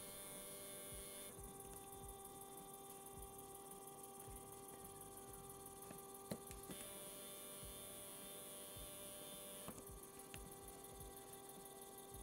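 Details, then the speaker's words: Stepper motor on A4988 driver, switching from quarter-step to 1/16 microstepping: quiet steady electrical hum with faint buzzing tone that shifts partway as vibration sound changes; normal stepper drive hum, no fault. "and now the signal on the scope has more steps but finally I activate the 16 steps and look how the vibration sound changes"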